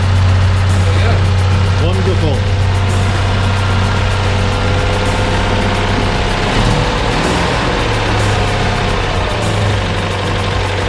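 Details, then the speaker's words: Citroen 2CV under restoration at Peak 2CV, on a very cold January day: steady, low, even thrum of the air-cooled twin at idle, no knocks or misses; healthy settled idle. "Sounding good, Jonathan, sounding good. Lovely."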